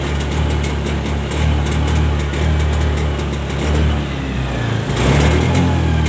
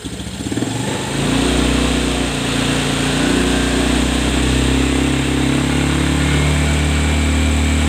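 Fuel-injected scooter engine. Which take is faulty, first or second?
first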